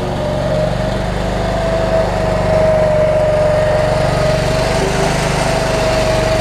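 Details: Cub Cadet 1320 hydrostatic riding mower, ridden down the driveway: steady, even engine drone holding speed without misses, surging or knocks; engine running healthy.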